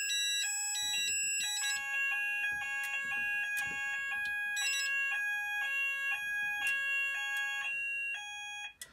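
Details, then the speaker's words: Haes Vector addressable fire alarm panel on evacuate: several electronic tones chirp and warble over each other in clashing overlapping patterns; sounders not synchronised. "supposedly it works better when you have one saunder but yeah um but they don't sink so"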